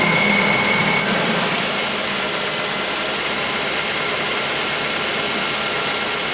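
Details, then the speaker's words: 2008 Ford Focus 1.8 petrol at idle with heated screens, headlights and blower on full: steady, even hum with no squeal or chirp; charging holds 13.5 V under load, healthy after the squealing alternator was replaced. "we now are able to see that thirteen point five six thirteen and a half Bobby Flay and then which is good considering all these loads on it"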